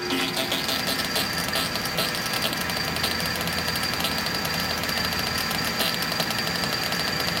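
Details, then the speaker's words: Monarch 610 lathe hydraulic pump, panel off, filter feeding the pump: steady run with a constant high whistle and fizzing, crackly rattle; air bubbles felt in the line, leak in the suction line suspected, not confirmed. "Sounds like it's sucking air."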